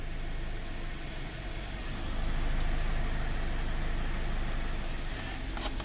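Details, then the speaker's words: Scion FR-S/Subaru BRZ with low power and stumble, code P000A intake cam bank 1 slow performance, VVT actively commanded on bank 1: deep rough idle swelling and sagging every second or two; sticking intake cam phaser, solenoid suspected. "It's definitely running rougher. And you can see it's oscillating. And you can hear it oscillating."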